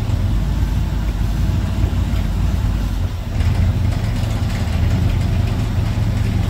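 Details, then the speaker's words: Chevy G10 van on its first drive after about a year and a half sitting, water temp rising: deep steady V8 idle with a loose, uneven rattle over the exhaust note, the same rattle as before. Exhaust pipe rattle. "yeah that's the same rattle"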